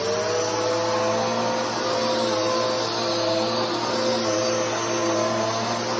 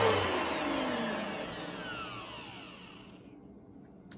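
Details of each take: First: Bissell PowerForce Helix 3313 upright vacuum running: steady high motor whine with a faint fluttering hum underneath throughout, the noise of the drive belt. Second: New Bissell PowerForce Helix 3313 vacuum motor: a high whir, described as a higher tone but lower pitch than the older 2191, spinning down smoothly with no rattle, scrape or grind; motor sounds healthy.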